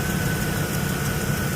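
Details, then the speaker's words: 2014 GMC Savana (Chevy Express) with crank-no-start and P0230 fuel pump relay control code, running during diagnosis before the fault is found (fuel pump relay light dim): steady even low idle with faint constant high whine, no misses or knocks. "Let's start this up. There we go. So it runs."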